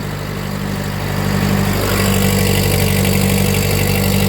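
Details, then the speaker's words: Old Ford 9N/2N/8N or Ferguson tractor with Sherman transmission, just started on choke: steady low idle with an even hum from the hydraulic pump as the lift comes up, normal. "there we choke you can hear that humming that's the hydraulic pump"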